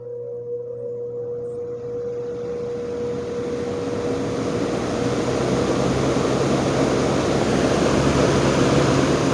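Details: General Electric export electric motor after repair: steady low hum with a faint tone and rising airflow hiss as the fan spins up; quiet, spin-down decent.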